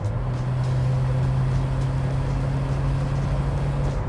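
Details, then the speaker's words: Volvo 940 2.3 Turbo petrol, 265,000 miles, estimated around 120 bhp left, under full throttle: loud, deep droning roar that barely climbs in pitch, lots of racket but little acceleration; exhaust leak. "yeah you get a hell of a racket that gives the impression of speed but it doesn't really go anywhere"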